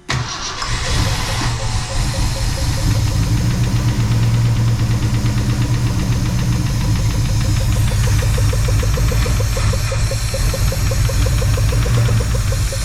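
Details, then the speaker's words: 1966 Ford Fairlane 390 FE V8 just revived after about 20 years: loud, lumpy run with uneven beat and wandering idle, out of tune; carburetor leaking gas top and bottom, slight smoke likely from cylinder 1 burning off. "And of course, she's gonna need some tuning up. And of course, we're not flooding gas, but she's not tuned with this carburetor."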